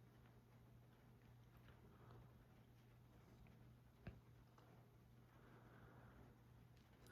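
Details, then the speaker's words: Fanimation Islander 52-inch ceiling fan from 2001, polished brass with palm ISP1 blades, running on high (roughly 40 RPM). Quiet, steady low hum with no clicking, rubbing or wobble. It runs smoothly and normally. "Start it up here on low. So low speed here. Pretty nice. and aesthetic. Of course, very quiet."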